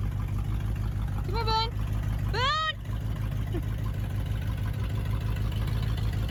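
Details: 1979 Ford F100 carbureted V8, sat ten years, idling after cleaned carburetor installed: steady, even low rumble, no misses or surging; normal idle.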